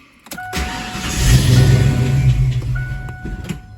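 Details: Ford Foxbody restarted warm after reaching full temperature and after coolant temperature sensor replacement: starter cranks steadily about three seconds but never catches; starts fine cold, then hard-starts and surges when warm, cause still unknown.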